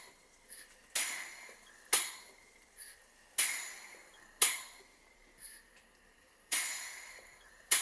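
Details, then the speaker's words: Model 12-inch Southworth steam pump with burner gas off: sharp bright clicks, uneven and slowing to one every few seconds as steam pressure drops, shuttle piston working normally; pump stops below 10 psi. "I've turned off the gas so you can hear the engine without the rod of the burner."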